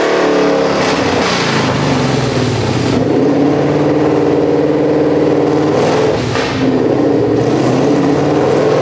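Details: Whipple-supercharged 1200hp S650 Mustang, started after a bolt check on the lift to see if last night's crazy noises had gone: strong engine note rising and falling through several revs, no clunk or rattle returning; runs fine now.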